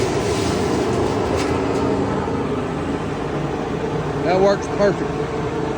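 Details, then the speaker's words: Homemade dust collector blower on planer pipe system with foam-sealed joints, running wide open as a handful of chips is fed in: steady even roar with brief rush of chips drawn in; pulls strongly, normal running under load. "Okay, so just to test it, I have a big handful. You hear it going wide open."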